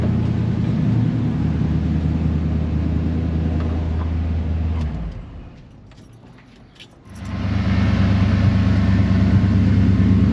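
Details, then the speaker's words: Chevy Suburban 454 V8, fuel pressure problem fixed at the tank and lines, now off the jack stands. It idles with a deep, steady rumble and even pulses, no misses, and fuel pressure, voltage and temperature read good. "got it off of the Jack St and it's idling pretty good"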